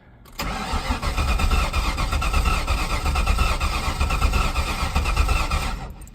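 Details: Mustang GT V8 after gas tank refurbishment, new fuel pump, level sender and fuel filter; starter cranks steadily about five seconds with uneven compression beats but never fires; cause not confirmed.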